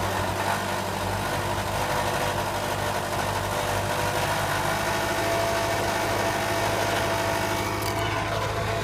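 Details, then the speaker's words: 2010 Subaru Forester idling with a tinny metallic buzz and rattle from a loose catalytic converter heat shield under the front of the car; removing the shield fixed the rattle. "okay so now we're under the car and we're looking at the catalytic converter heat shield which is causing the Rattle and this is underneath the front end of the vehicle"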